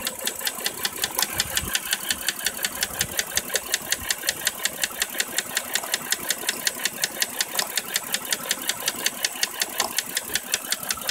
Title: Dodge Journey V6 misfire